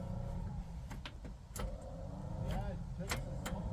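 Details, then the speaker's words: 1958 Chevrolet Biscayne straight-6, parked 40+ years: key turned with the ignition working, but only irregular clicks and no cranking; the starter solenoid is not engaged and was found disconnected. "That's still clicking. All right, perfect. Well, the ignition works. But the solenoid is not engaged."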